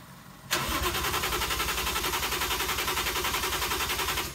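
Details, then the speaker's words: 1JZ-swapped FC RX7 drift build on a dying battery, being jump-started on temporary hacked-together wiring: steady cranking at about three and a half beats per second for four seconds, never catches; crank no start, owner suspects insufficient power, cause unconfirmed. "Well, on that downer, I'm actually going to end this video. Fortunately, we weren't able to get it started"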